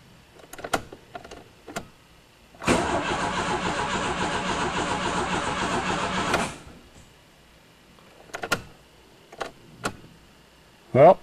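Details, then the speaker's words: Old Chrysler turbo Aries, first start attempt after sitting six years: about four seconds of steady cranking that never catches, no fuel pump hum heard; owner suspects the fuel pump needs replacing. "I don't hear the fuel pump. Uh-oh, I think we need a fuel pump."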